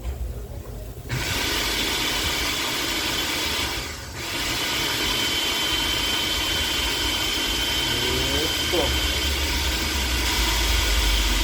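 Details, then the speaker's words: Philips Walita food processor after cleaning and greasing its dry gears: smooth, steady motor whir with an even high hum and no knocking or grinding; the earlier loud noise is gone and it runs normally. "aquela zuada saiu ela zoada saiu aquela zoada né"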